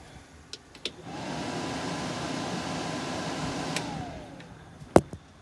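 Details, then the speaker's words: 1976 International Harvester Scout II: factory heater blower and A/C fan spin up to a steady, clean whooshing hum and wind down smoothly; the fan works, though the A/C compressor is bypassed on the engine. "the factory heater blower does work and the factory a/c fan does work"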